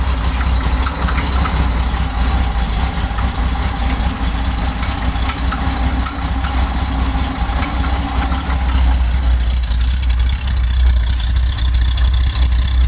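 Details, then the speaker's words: Corvair idling after a cold start (electric fuel pump, carburetors): steady low idle with a slightly lumpy air-cooled chuff but no misfire or knock. Normal idle. "Pump the gas pedal 3-4 times, turn the key, and I listen for the clicking of the electric fuel pump, and I wait about 10 seconds for the gas to vaporize in the fuel bowls and the carburetors. And fires right up every time."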